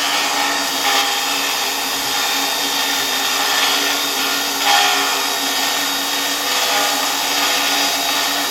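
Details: 1973 Zelmer 01A vacuum cleaner, type 34 motor run on reduced voltage through a regulator: a steady hiss with a dry scraping rub throughout, suspected to be the turbine rubbing its housing rather than motor bearings; the capacitor gets hot.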